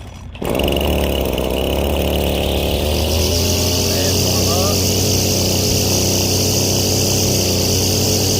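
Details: Husqvarna 322L two-stroke trimmer, sat for years, after carburetor rebuild with low-speed screw 4.5 turns out and high-speed 4 turns out: primed, choked, sputters then catches and settles into a steady high buzz; running normally.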